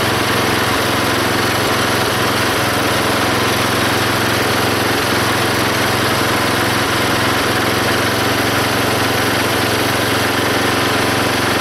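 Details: Belt-driven log splitter small engine after fitting a homemade spring-tensioned idler arm and pulley to stop the belt flying off: even roar with slight low thumps as splitting load comes on, no squeal; hardly any belt slipping.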